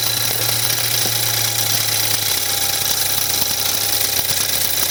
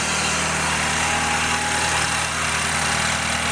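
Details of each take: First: 2014 BMW 320i F30 with N20 engine on a cold start: a light, uneven metallic wastegate rattle over the idle that lessens as it warms. The electronic wastegate fault triggers a drivetrain malfunction light; turbo wastegate rattle before the rebuild. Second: BMW 320i N20 turbo, about 140–150k, cold start after turbo cartridge rebuild: steady cold idle with busy ticking from high-pressure fuel pump and injectors, plus faint rattle from wastegate flap linkage; normal.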